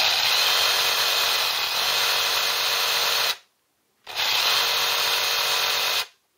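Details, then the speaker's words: Ryobi 18V One+ tool run from a 12V laptop power supply through a dummy battery case, off load, current peaking about seven at start-up; two clean bursts of even high-pitched motor whine about three seconds each; normal no-load running. "right so off load just running on its own it is"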